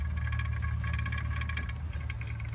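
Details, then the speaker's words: Mercedes W222 S550 driving on road: steady low hum and drone under road noise from a bad wheel bearing. "Not sure if you guys can hear the wheel bearing sound real quick."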